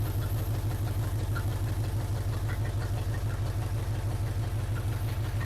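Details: 1980 Chevrolet C10 Cheyenne square-body small block, first start, hood off, open headers: deep regular idle firing on every cylinder, no valvetrain clatter; oil pressure up, oil at rockers, slight water leak.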